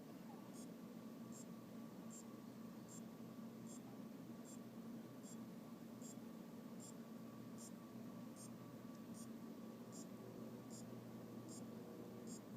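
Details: Aopen LCD monitor that won't power on, power supply reinstalled: faint high clock-like ticks about seventy a minute over hiss; capacitors replaced, diodes, rectifier and transistor checked, source unknown.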